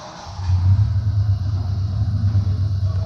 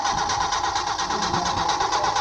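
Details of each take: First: and there you have it no yeah engine running Second: Engine crank-no-start during a troubleshooting lesson: fast, even starter cranking with a steady whirr and no firing at all; the engine spins freely with compression present but gets no fuel from an inoperative fuel pump.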